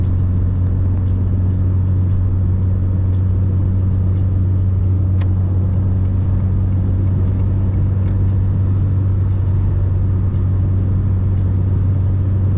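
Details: Mercedes-Benz 190E test drive after KE-Jetronic fuel injection repair: smooth, even low rumble at steady speed, no knocks, misses or hesitation; engine pulls cleanly and sounds healthy.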